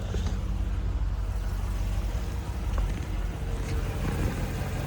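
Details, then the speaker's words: Land Rover Discovery II, 4.0 L V8 (possibly 4.6), 2001 build sold 2002: low, even rumble at idle with no knocks, ticks or misses, no smoke, barely audible. Normal idle. "So, this is a 4 liter. It's on a 4.6 and it is an O 01 build. Sold in O2, but sounds good. Nice and smooth. No smoke."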